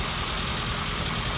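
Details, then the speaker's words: Classic Mini engine idling after being revived from nearly two years of storage, which had seized the fuel pump. Steady, even idle with a smooth, unbroken exhaust note and no knocks or misses: normal idle. "a year of sitting didn't do any good for nearly two years sitting and uh managed to seize up our fuel pump it looks like we've got a way of opening the new one and it looks good seems to be running all right"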